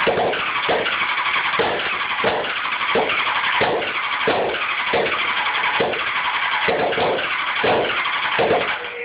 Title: CBR600F4 no start